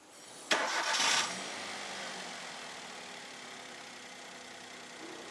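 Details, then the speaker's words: Maruti Wagon R after shaking and poor pulling, with water temperature sensor, valve and IAC unit corrected, air filter not yet fitted: quick crank, clean catch, soft even idle; normal start and idle. "Engine നല്ല രീതിയിൽ smooth ആയി അതക്ക് respond കാണിക്കാൻ തുടങ്ങി നല്ലോണം കേട്ടോ engine നല്ലോണം റെസ്പോണ്ടും കാണിക്കാൻ തുടങ്ങിയിട്ടുണ്ട്"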